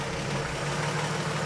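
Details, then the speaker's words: Old Chevy truck after HEI distributor swap, fast idle around 1100 rpm, alternator not charging at low rpm: uneven stumbling beat, a cylinder seemingly dropping out now and then; new misfire, cause unknown. "Problem two is a weird miss, which it never us"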